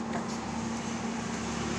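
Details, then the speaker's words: Camel spin dryer that spun slowly and made noise, after repair and reassembly: steady even motor hum with smooth spin, no knocking or rattle, then cuts off; running quietly and healthy. "eh paandarin natin So yun tahimik na"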